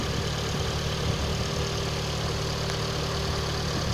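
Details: Engine knock at petrol idle: faint, even knock running under steady idle from inside the engine; cause not yet pinned down.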